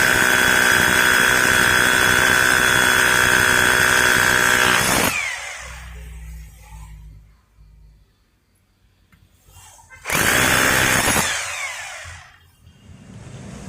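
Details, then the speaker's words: Maktec MT870 rotary hammer after repair of a no-hammer fault, drilling concrete with an SDS bit: steady, loud, high-pitched drilling roar for about five seconds, then a short burst, running strong and even. "if now it can vibrate or there is already a kick and sound It seems it's rough or already drilled ."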